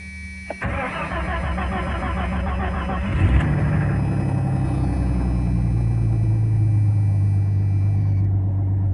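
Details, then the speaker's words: 1989 Jeep Cherokee Pioneer 4.0L I6, AW4, after idle air control valve replacement: brief crank, catches with a rev, then steady low idle without obvious stumbling; normal idle, main problem occurs while driving. "yeah not terrible the real problem happens when it drives so we'll see if that helps anything hopefully it does"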